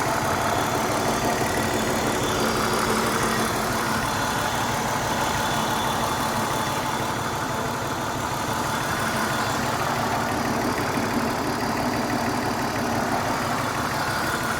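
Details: BMW 328i idle sounds uneven, with a lumpy stumble about three times a second instead of a smooth six-cylinder hum; owner suspects it is running on 5 cylinders, a possible misfire.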